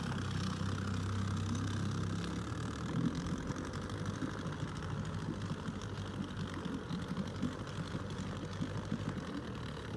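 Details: Outboard on an abandoned jon boat, sat over winter and unknown if it ran, first start attempt in water: even, steady low two-stroke buzz, no misses or knocks; sounds healthy and settled, better than expected.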